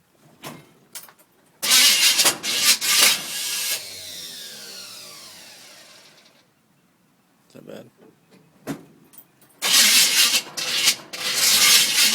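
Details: 1971 Chevelle, rebuilt 350 small block V8 with TH350 transmission: bursts of starter cranking with a hissy whirr and no catch or firing between attempts; cranks but will not start.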